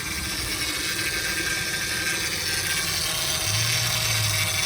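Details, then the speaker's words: 2007 Honda Pilot at idle, engine running: steady high-pitched whine over the idle, unchanging; power steering pump whine from low fluid due to a fluid leak. "ruido, amigos, es bien particular en los vehículos cuando tenemos problemas de fugas de líquido. Estoy hablando de lo que es el líquido del Power Steering."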